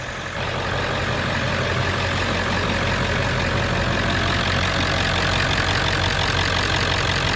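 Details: 7.3 Power Stroke Ford after replacing a lift pump that let air into the fuel system and caused hard starts: an even, steady diesel clatter at idle with constant loudness and no stumbling or surging; normal idle.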